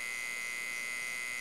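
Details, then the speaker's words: Homemade 12V-to-220V inverter with small transformer, running with no load; constant high-pitched steady whine attributed to the transformer's construction, MOSFET heatsink not heating; transformer hum. "o aí é devido ao próprio transformador o feitio do transformador só pessoal ó e ele tá funcionando ali tem esse barulhinho aí né"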